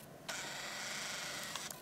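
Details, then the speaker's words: Kodak EasyShare M550 compact camera, used older unit, at power-on: buzzy whir of about a second as the lens extends, then small clicks; typical older EasyShare lens sound, within normal operating range for its age. "this is the sound of an older Kodak Easy Share this is how almost every code older Kodak Easy Share sounds the lens and this is within normal operating range from Kodak for a used camera of this age"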